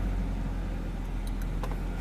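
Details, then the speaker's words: 1994 BMW 525it E34 wagon just after a Bosch fuel pump replacement: steady low rumble with an even idle after starting, no misses or knocks; fuel pump barely audible, engine running normally. "It is such a quiet fuel pump. You really have to, you can barely hear it. Super quiet."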